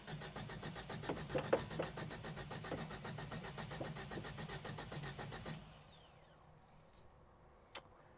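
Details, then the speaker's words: 1973 Toyota Hilux started after sitting, radiator removed: steady starter churning at about four beats a second for over five seconds before it fires; owner suspects near-empty fuel lines had to draw fuel uphill from the tank. "it's kind of what I expected sounds like it's trying oh look at that she fired up it just took a second I'm sure there was almost no fuel in the fuel lines and it probably had to pull it all the way from the tank uphill to the motor"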